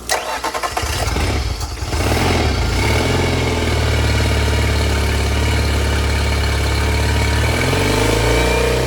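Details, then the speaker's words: 2005 Yamaha T50 50HP EFI outboard, long sat, water found in oil, leak-down tested: cranks a couple of seconds, catches and settles into an uneven idle; lost compression on cylinder 4, suspected head gasket, stuck ring or corrosion. "she has lost compression on cylinder 4 and if you guys can't see here behind me I've got a leak down tester hooked up to her right now so obviously that's not good news"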